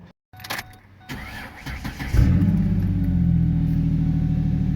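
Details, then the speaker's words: Modified truck whose transmission lost first gear after a jump: starter cranks briefly, engine catches and settles into a smooth, steady idle with no knocks or misses; engine runs fine. "runs fine Christmas tree as always but that's that's because of the modifications"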